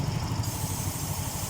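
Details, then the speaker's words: Yamaha Mio M3 scooter with weak power and flashing MIL code 28, after ECU data reset: engine temp now reads 59° instead of -20°, O2 sensor working; idle now higher than before, steady even putter, no stumbling. "Hai nah ini langsamnya udah gede"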